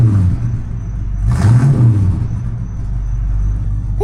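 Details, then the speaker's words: Big-block Mercury after DIY dual exhaust with 2.5-inch pipes from the manifolds back, Thrush glasspacks and turndowns: deep loud idle rumble swelling on a quick throttle blip and settling evenly, louder than expected, healthy with no exhaust leaks. "We got ourselves a hot rod now."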